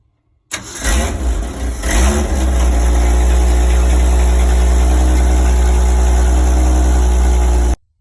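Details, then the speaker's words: 1965 Ford Econoline 100 pickup, sat for years, cold day, after fixing swapped number 1 and 2 plug wires on the cap: cranks briefly, catches and settles into a steady, even smooth idle with no misses or knocks. "Okay, didn't sound bad at all. I would call that a win."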